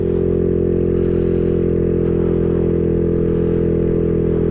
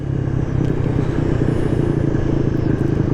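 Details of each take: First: Maddog 150cc GY6 scooter climbing Pikes Peak Highway, held at full throttle on a flat section to clear it: steady drone with an uneven, blubbery stutter. Rider thinks it is loading up. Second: Maddog 150cc GY6 scooter on Pikes Peak Highway at 50 mph in cold weather: steady, strong drone with no misses or stumbling, wind in the background. Rider says it feels like it is running good again.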